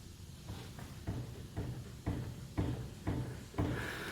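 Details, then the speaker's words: 1998 Toyota Tacoma 4WD, 257,000 miles, on lift: dull evenly spaced clunks about twice a second as wheel is rocked by hand, traced to worn upper ball joint with ripped boot; control arm bushings have no play. "do you hear that it's right here where the ball joint is when i grab the whole upper control arm there's absolutely no play in the bushings"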